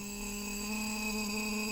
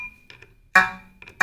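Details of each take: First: Shruti box G reed, before repair: steady note with a rough, buzzy edge throughout because the reed tongue touches the frame surface. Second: Shruti box opened for G-reed buzz repair: the other reeds give short, clean notes with a steady pitch and no buzz or rattle. These reeds are normal.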